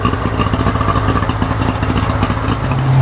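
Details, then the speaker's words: Tohatsu 4-stroke three-cylinder outboard after repair, carburetors and airbox reinstalled, running on water at idle: steady even firm beat, no misfire or stumble; all three cylinders firing. "so I officially finished the engine the engine runs really good it idles really good all three cylinders are working how they're supposed to be doing"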